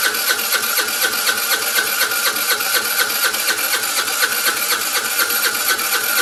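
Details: Vespa scooter with steady starter cranking at about four beats a second that never catches or speeds up. It cranks but won't start.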